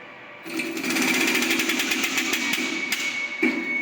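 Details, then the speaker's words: LAB200 Travel/Omnia pilot-scale filter press, pneumatic pressure multiplier switched on by opening its valve (6 bar line air gives up to 12 bar squeezing; the gauge reads about 12 bar): rapid hissing chatter at about four strokes a second at a steady pace; normal cycling. "You just have to open this valve, and you will see, or you will hear the noise. That means that the pressure multiplier starts working."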